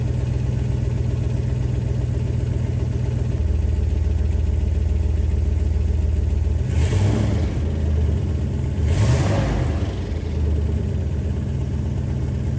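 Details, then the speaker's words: 1995 Jeep Grand Cherokee ZJ V8 with catalytic converter and straight pipe, undersized clamps leaving an exhaust leak: deep, booming, coarse drone with a throttle blip midway; cat suspected partly clogged, later replaced with straight pipe and Flowmaster Super 40 muffler. "Yeah, not sounding too great. I think the cat was clogged up a bit too, so I then had a local shop weld on a nice straight pipe and a Flowmaster Super 40 muffler."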